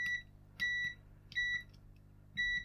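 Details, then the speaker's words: Bush DAB radio that won't power on, power button tested with multimeter continuity: short beeps sound only on some presses, about four in three seconds, with no continuous beep when held; intermittent switch contact. "but it is working ah but when you hold it down it ah yeah when you hold it down it doesn't give a continuous beep so if this needs to be held down to turn it on it's not going to turn on"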